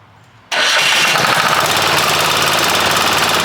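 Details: Long-sitting military surplus Hatz 1B20 single-cylinder diesel pressure washer, started on starting fluid with no water in the pump: fires at once into a hard, even clatter with no misses or knocks; normal running.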